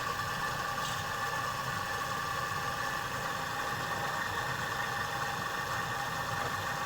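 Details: Refrigerator compressor running while pressure-tested with compressed air; an oil trace afterwards reveals a leak. Steady even hum with a bright whine near 1 kHz, no knocks or rattles; the compressor itself runs smoothly.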